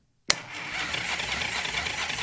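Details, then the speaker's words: Motorcycle being revived, key on while checking for spark with a spark tester; steady even starter whir turning the engine over, no grinding or slipping, spark confirmed; normal cranking. "I want to hear a crank and I want to see a spark."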